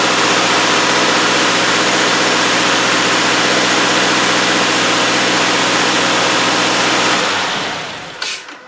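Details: 2017 Subaru Outback, 59K miles, normally clatters about 5 seconds at start after sitting; cold start after sitting overnight on an 80-degree day with an anti-drainback Kia oil filter just fitted: catches and runs steadily with no clatter, a normal start.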